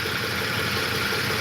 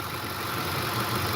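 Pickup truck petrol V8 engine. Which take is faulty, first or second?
first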